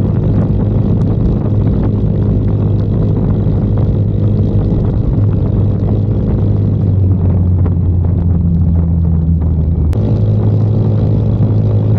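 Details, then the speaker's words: 2022 Icebear Maddog Gen V scooter on ride after electric fuel pump conversion replacing vacuum pump, wideband AFR fitted: steady cruising drone with smooth pitch changes, no sputter at wide open throttle or stalling; about 12 AFR at WOT. "it doesn't sputter a wide open throttle when you're cruising or when you come to like a really quick stop it's not stalling on me anymore"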